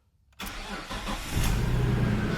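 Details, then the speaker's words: Nissan Skyline R33 GTS-T Type M, 67,000 original km, stock: brief crank and clean catch, then smooth, even idle with no misfire or knock. "listen to that thing this is so good this thing's so good"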